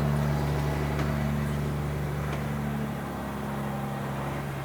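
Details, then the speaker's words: 1999 Volvo truck with a Detroit diesel, sitting since 2016 and started again: steady, even idle with a smooth low drone and no knocks or misses. It runs sweet and healthy. "man that thing runs sweet don't it I think yeah"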